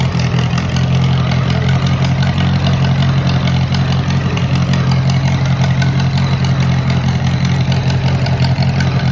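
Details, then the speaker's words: Moline model BF tractor started on choke after sitting over a year, battery dead earlier: steady, even low chug with a smooth rev, no knocks or misses; normal idle and revving. "runs real nice real nice"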